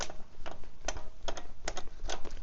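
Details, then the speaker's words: PVY Z20 Plus 1000W e-bike; irregular sharp clicks and creaks in short bursts as the seat is pushed, from a noisy suspension seat post that is to be replaced. "it's noisy that's getting swapped out I left that on for the purpose of this video only"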